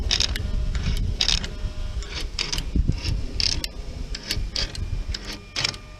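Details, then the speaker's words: Mercedes V12 electronic throttle body, possibly a 2003 unit, driver's side, tested with the engine running; idle speed out of alignment. Short whirring gear buzzes about once a second as the actuator cycles open and shut. Normal actuator gear noise; different units sound different. "different units make different noises so that's just a given"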